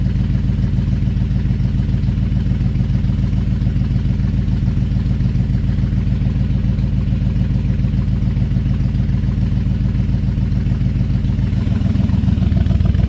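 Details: Buick 350 V8 after an oil pump and lifter change: loud, lumpy idle with a quick, steady puffing tick at three to four per second; owner suspects a new exhaust leak, plus an unexplained squeak.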